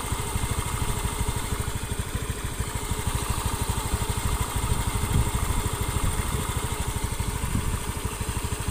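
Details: Honda Beat FI scooter after repair of rough running when hot, blamed on a worn boss: even, steady single-cylinder putter with no knocks or rattles; the engine now runs smooth and sounds healthy.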